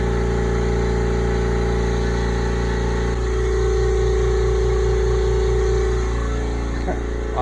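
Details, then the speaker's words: Brand-new upright air compressor, first switch-on, building pressure: steady, even hum with a smooth, regular pumping pulse and nothing knocking or rattling. It runs cleanly, a little quieter than the old compressor. "It's a little quieter than the other one. Starting to build up some pressure."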